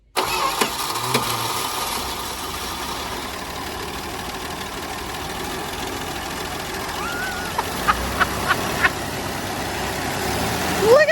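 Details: Slant six Dodge Dart sitting since 1992, first start after cranking to fill the fuel filter: after a brief crank it settles into a soft, even idle with a steady low hum; runs smoother than expected, normal idle.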